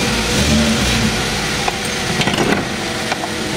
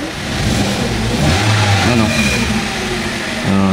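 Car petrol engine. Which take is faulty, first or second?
second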